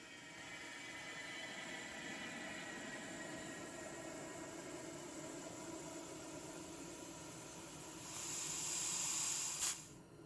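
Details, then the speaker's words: Honda 300EX ATV tire being inflated after remounting: a steady airy hiss for several seconds, swelling near the end, as air escapes around the tire before the bead seats. "So now we can inflate and hopefully we did everything right. I don't have to worry about it. You will hear air whooshing out of the tire when you first inflate it."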